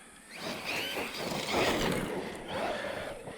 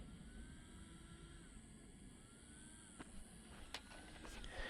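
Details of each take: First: FMS FMT10 brushless Chevrolet Colorado 1/10 RC truck after fixing center diff that acted stripped (washers replaced/added, 1 million diff fluid, new Mod 1 spur and pinion): motor whine climbs smoothly accelerating, no skipping or clacking; strong power. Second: FMS FMT10 brushless RC truck after running with new gears: thin fan whine keeps dropping out and returning about every second over a low motor hum; cooling fan cutting out, cause suspected.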